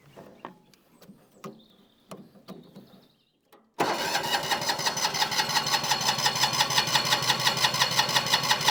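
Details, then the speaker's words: Winget mixer single-cylinder diesel, stood a couple of years, injector line cracked off: steady rhythmic cranking at about three beats a second with no firing; no diesel reaches the injector, suspected sticking injection pump. "Yep. We're not going to get anything up there whatsoever. So, I wonder if we got something sticking down here in the pump."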